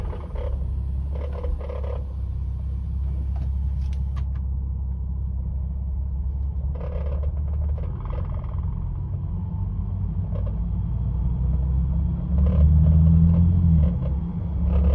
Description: At roughly around 1000 RPM Rattling noise starts coming from under the dashboard (more on the passenger side so it seems) when cruising/letting off gas pedal.